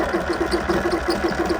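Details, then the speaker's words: Sur-Ron electric bike stranded about 10 miles from home, motor hot (about 185° after 20 minutes cooling), set to mode one eco, full throttle at about 3 mph. Motor stutters in regular surges without pulling; owner thinks it is toast. "If I ease off the power, she does move. But as you can hear, I think that is absolutely toast."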